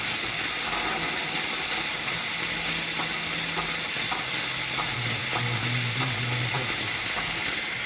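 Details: Power Stroke pickup with no-start when hot: steady sharp hiss over a faint hum, oil leaking past a bad O-ring at the top of injector #7.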